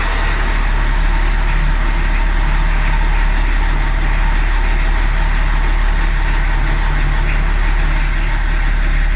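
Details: BMW E34 TDS at idle after its first service in over ten years, with a new water pump, belts and most pulleys: steady, even diesel clatter, about three beats a second, with no squeal or rattle from the belt side.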